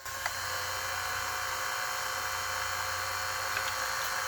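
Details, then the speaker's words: A 1983 Toshiba V-S36C Hi-Fi Beta VCR playing at two-times speed; a steady high-pitched whine over a faint low hum that stays constant. The owner thinks a motor gets noisy at this speed, while normal play is fine. "now i'm going to turn the volume down here listen to how loud it gets when i put it in two times"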